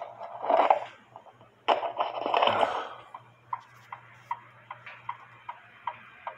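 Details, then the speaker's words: Clock with a TimeTrax model 60 beat amplifier clamped to a lower finial: crisp, evenly spaced ticks about every 0.4 seconds; the clock is in beat. "and you can hear the clock is in beat so again you do not have to connect it to metal"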